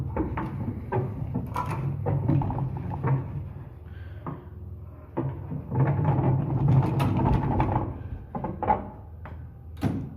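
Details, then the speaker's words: Old Armor two-speed door, before roller replacement: uneven rumbling and rattling bursts with a rough low growl each time the door slides; worn hanger rollers, the rear one sounding much worse. "All right, so I got bad door rollers here. You can listen to them."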